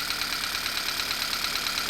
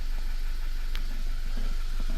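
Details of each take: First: Idling petrol engine with check engine light on, trembling with a quick steady ticking kick from a cylinder misfire; cylinders are then checked by unplugging coil wires one at a time. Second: Engine idling after a cylinder misfire was diagnosed and fixed without a scan tool and codes cleared: smooth, even idle with a steady low beat and no stumbles or skipped firing; the earlier miss is gone.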